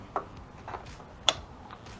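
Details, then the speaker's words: 1986 Ninja 600 having shorty levers fitted; pulling the brake lever gives a few sharp light clicks, about three in two seconds, from the brake light switch. Normal brake light switch click. "I don't know if you can hear that clicking but that's the uh brake light switch"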